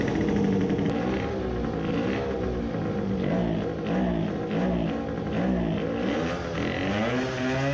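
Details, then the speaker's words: 50cc racing two-stroke moped with PWK race carburettor, main jet reduced to 110: at full throttle it breaks up and stutters, pitch wavering, 110 still too big and fuel puddle forming; rich-mixture full-throttle sputter. "but it is still sputtering at full throttle so the 110 was still too big"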